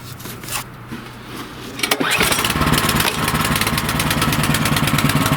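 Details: Cub Cadet snowblower after fitting a new carburetor (MTD 651p05995), replaced because it only ran on choke. Hand pull-start with choke on catches and settles into a quick, even low-throttle idle without hunting or stalling; healthy idle.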